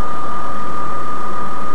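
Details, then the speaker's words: 2001 Ford Escape V6, first start after upper/lower intake manifold gasket job and injector adjustment, intake air 39°: steady, even low idle hum with no stumbles or misfire, no fuel leaks found; runs smoothly. "Let's look for leaks. Seems to run pretty good, right? I got everything down there. Seems to run."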